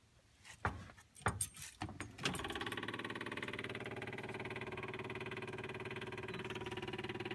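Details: IDI diesel hard start at 60°F after 8-second glow, restarted about 5 minutes after previous run: after some clatter the starter keeps cranking with steady even pulses and no firing, extended cranking.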